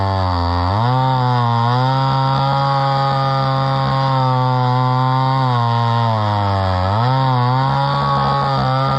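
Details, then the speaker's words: Homelite Super XL chainsaw bought at auction, at least about 50 years old, unknown when it last ran, started at about half choke; steady high buzz sags in pitch as the slightly dull chain bites wood, then picks back up; runs healthy. "works pretty good the Chain's a little bit doll but what can you expect from a old saw that's pretty good run"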